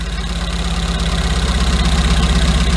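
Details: 2008 TMAG Chinese mini truck: lumpy, uneven idle with a regular stumble, like one cylinder not firing; misfiring rough idle, spark plug leads being checked to see whether it runs on all four cylinders.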